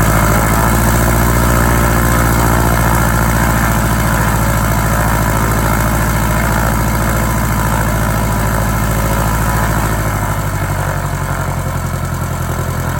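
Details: 1946 J-3 Cub engine at first start after a four-year restoration: steady, even low chugging at about three beats a second, easing down toward the end with no stumbles. Ran great once the lines primed. Normal idle and run-up.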